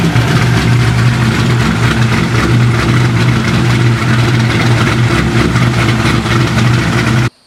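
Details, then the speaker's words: Corvette C6 Z06 V8 on E85 with ported heads, FAST 102 intake, long-tube headers and straight-pipe axle-back, first start after B3 cam and McLeod RXT twin-disc clutch install: deep lopey even idle, no ticking or puffing — normal idle. "you have it guys b3 cam install along with the rxdr twin disc clutch and it sounds it sounds good"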